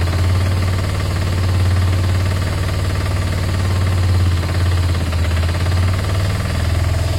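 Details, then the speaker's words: Motorcycle idling: a low, lumpy idle swells and sags every second or two with no throttle input: a hunting, unstable idle with bigger problems suspected. "so it's idling but look what look at this look I'm not touching it what up I mean it'll drop down in a minute and then it'll go back up"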